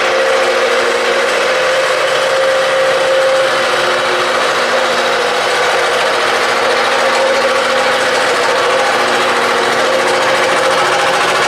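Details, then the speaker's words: Shop air compressor with a sound cover, started from an empty tank right after a new valve was fitted: a loud, steady mechanical clatter from the pump over a constant hum, even and unbroken as the tank fills, so normal running. "And I'm going to tell you something. When you hear this thing starting up with no air in it, it's scary."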